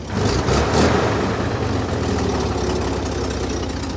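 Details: Chevy Corvair with original engine internals and swapped-in used carburetors, cold start after overnight in a 50 °F shop: flares after catching, then settles to an uneven, lumpy idle with an irregular beat; cause of roughness not pinned down.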